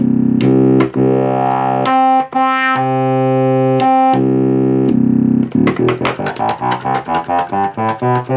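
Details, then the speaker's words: Minitmoog synthesizer after repairs and filter calibration, playing presets: clean sustained notes and chords with crisp attacks, tracking evenly across the keyboard, no crackle or dropouts. Normal synthesizer output. "You hear it tracks pretty well across the keyboard now. So, we sound pretty good there."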